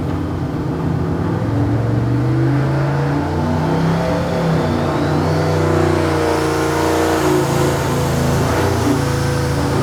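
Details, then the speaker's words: Ford V8 on an engine dyno: loud revving pull with uneven pops and stumbles that never clean up; the crew suspects two cylinders are wired backward, and the float level looks a little high. "that sounds like two cyers are backward"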